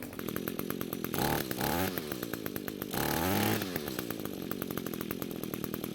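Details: Two-stroke string trimmer that had spark, some compression and fuel but wouldn't start, now running after suspected bad coil replaced and fuel flow confirmed by priming bulb, carb untouched: steady buzz with two clean blips up in pitch and back to even idle; healthy.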